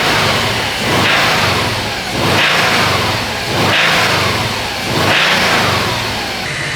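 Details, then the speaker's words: Subaru WRX engine, four throttle blips about every 1.5 seconds with a hard knock under each rise: actual rod knock from a spun bearing. The engine is to be removed and rebuilt. "Now let's talk about actual broad knock. And instead of just talking about it, let's show you an example. Because yeah, this one has it."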